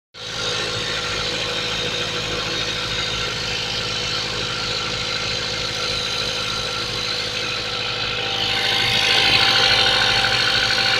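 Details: Mazda 3 1.6 engine at cold idle: a fast, fairly regular light knock, about three per second, over the engine's hiss; engine knock, cause undetermined.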